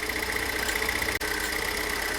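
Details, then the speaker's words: Pontiac Solstice idling and warming up, not yet at full temperature; fast, even light ticking from the high-pressure fuel pump over a steady idle, fuel rail pressure about 4.4–5 MPa; pump later replaced over a fuel odor; normal pump tick. "All right, so let's let this warm up completely, and then what we'll do is we will let the engine block temperature come up to speed and see if this thing changes at all you know, it should sound like this nearly all the time when it's at idle."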